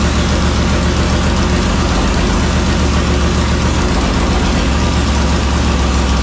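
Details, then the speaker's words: Pop Power V8 at first start in a brand-new Elite chassis, headers not yet fitted, fuel poured in to keep it running: loud, deep, uneven run with a raw rasp. Exhaust leaking. "bottle getting close sounds weird all your exhaust leaks yeah"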